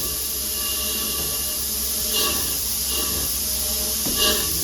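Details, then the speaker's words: Chambersburg air power hammer, idle since 1987, run uninstalled on an inadequate air supply; steady air hiss with sharp puffs every second or so, cycling for the first time since 1987. Normal power hammer cycling. "but we did get it running it hasn't cycled like this since 1987."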